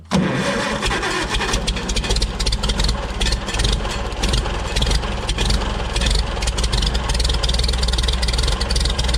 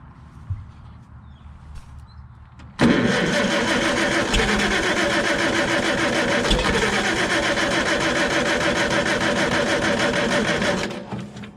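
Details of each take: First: Farmall Super C tractor with points ignition, after fixing a no-start by adjusting the stuck-shut breaker points: brief crank, then the engine catches and settles into a steady, even run with a light rev; starts and runs normally. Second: Farmall Super C tractor with points ignition and a no-start: starter churns the engine steadily for eight seconds without catching; no voltage fluctuation at the coil negative while cranking, so the points are probably stuck closed or the circuit is shorted closed.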